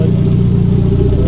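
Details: Conquest turbo G54B four idling warm, temperature rising from just over 180 to 210°F with the fans not kicking on (temperature switch suspected): a low, smooth, even hum with no stumble or rattle; the engine idles normally.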